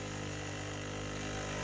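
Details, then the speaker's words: 3D-printed maglev pulse motor with new 304 stainless steel backplate, running at 9 volts, not yet tuned to coil and Hall sensor, no graphite applied; steady even hum with fine fast pulse underneath, no knocks or rattles, working beautifully. "but I just wanted to get it going because it's been a while since I was able to work on it and it's working beautiful"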